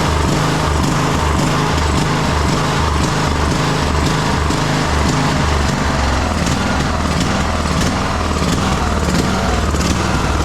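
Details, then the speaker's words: 2009 Craftsman YTS 3000 lawn tractor with a 21hp Briggs & Stratton single-cylinder engine chugs unevenly, pulsing and stumbling near the end of a run, with heavy blowby noted; the owner suspects water in the fuel tank is causing the rough running. "And then it started to run like like garbage there at the end. I mean, who knows what's in this tank. That's probably my fault for, you know, assuming there wasn't water in there."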